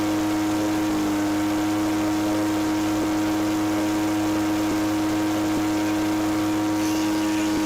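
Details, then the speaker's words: Echo PB413H two-stroke backpack blower with aftermarket carburetor and NGK plug, wide open throttle after leaning the high-speed screw: steady wail with faint burble at about 6400 rpm (6400–6600 recommended); high-speed mixture about right. "okay by turning it in the high screw leaning the 2600 was good at idle it's 6400 to 6600 recommended high speed I don't want to go any more lean with the high speed I don't like running lean lean there's still some more adjustment in it so I'm at 6400"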